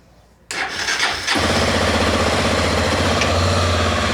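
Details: Honda XRE 300 after starter clutch plate (placa de partida) replacement and fresh oil: brief starter crank catches within a second, then settles into an even, steady idle with no grinding; the earlier starting noise is gone, starts and idles normally.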